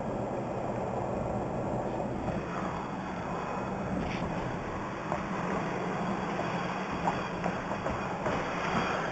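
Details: Nissan Frontier pickup: a steady low whine hums beneath the rushing road noise while driving; whining noise problem, cause not stated.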